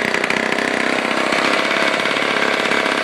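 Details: 1949 Lombard one-man chainsaw, Homelite-powered two-stroke, rebuilt with all-new internals after being seized, first start: crisp steady buzz, fast even firing, no misses or rattles; running cleanly.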